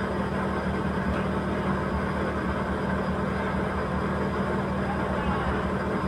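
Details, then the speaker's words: Petrol engine back to its rough idle after reassembly with the alternator bracket retightened and now charging: a slightly uneven, lumpy low pulse of a misfire. "Ayos na thank you po palyado na lang balik ulit tayo sa palyado brush lang"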